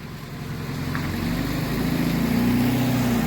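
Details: 2007 Honda CR-V 2.2 diesel after alternator and idler pulley replacement for ringing pulleys: steady, even diesel idle with a smooth low drone, no knocks or squeals; repair confirmed good.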